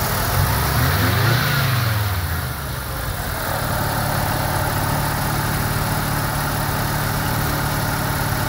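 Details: 1990 Mazda RX7 rotary, rebuilt and about 2,200 miles, warming up after a radiator replacement: a short rev blip settles into a steady, smooth idle at about 1100 rpm with no misses or knocks. A normal warm-up, idle expected to drop to about 750.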